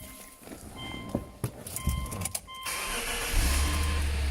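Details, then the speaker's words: Subaru B9 Tribeca Limited, horizontally opposed six (listed as 2006, also called 2009), about 75,225 miles, very clean engine: brief crank under door chime, catches cleanly in about three seconds, settles into even idle; healthy start. "excellent dynamics very nice torque very smooth engine easy to service very reliable"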